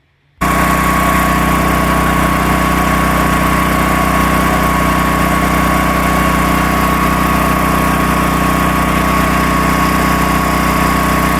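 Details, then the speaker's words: Predator 13,000 W tri-fuel portable generator heard just outside an uninsulated shop door: loud but even, steady engine drone with constant hum, no knocks or surging; running healthy. "All right, so it's just outside this uninsulated shop door. And, I mean, it's loud, but it's not terrible."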